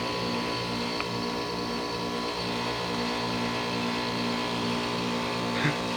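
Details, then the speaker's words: 2001 Trane XE1000 5-ton heat pump at about 45°F, outdoor unit with frozen coil going through defrost; steady compressor and fan hum with faint hiss, normal defrost that soon produces steam. "holy it's defrosting it's actually defrosting I don't know if it's going to steam but it's defrosting"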